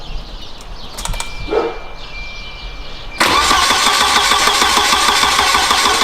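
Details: Turbo wagon on a newly wired Microsquirt standalone harness with a VR crank sensor and a coil driver just installed, first crank attempt. The starter cranks hard at about three beats a second with weak chuffs, but it never starts.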